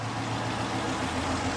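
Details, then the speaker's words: Retired Michigan State Police Dodge Charger Pursuit V8 at delivery, before the supercharger build: fired right up, steady low rumble at idle, smooth and even with no knocks or misses; normal idle, car in great condition. "Fired right up. Fired right up. Like this is in great condition. Yeah, it sounds good."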